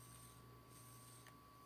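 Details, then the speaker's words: 1942 Zenith 7S682 radio-phonograph turntable with cleaned bearings: quiet, steady faint hum with no wow, rumble or scraping, one click near the end; motor runs smoothly and normally. "smooth as anything let's go to the 78 speed here we go nice and smooth"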